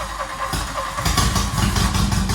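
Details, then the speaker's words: Barn-find Mk1 VW Golf GTI rebuild, start on a jump pack and booster after fuel reached the engine: cranks, catches and settles into a loud, raw, uneven idle, running with no exhaust pipe fitted yet. "yeah no exhaust pipe mate we did forget about that no we'll leave it in guys i said was gonna fit the exhaust completely forgot about it but the fuel's got up there and it's firing up"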